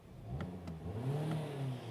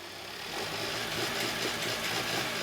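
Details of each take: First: 2020 Hyundai Tucson 2.4L, driving and warm, after clearing code P1326: the engine pulls up cleanly with a smooth rising drone and no hesitation. Before, it would not rev past 1000 rpm; an intermittently failing knock sensor is suspected. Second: Hyundai Tucson with code P1326 and a flashing check engine light, losing power, won't rev over 1000 RPM or upshift; the engine strains when revved in the shop, running rough and choppy, misfiring badly.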